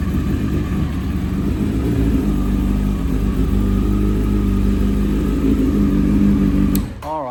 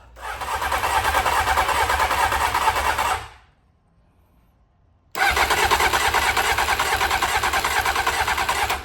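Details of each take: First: 1992 Honda Fireblade under restoration, running on fresh fuel after fixing its new fuel pump, during a leak test: a low, uneven burble for about seven seconds, then the engine cuts and dies. A fuel leak was found afterward. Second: 1992 Honda Fireblade under restoration with a brand new fuel pump that is not running: three long bursts of steady starter cranking at about three turns a second, never catching. It cranks but won't start.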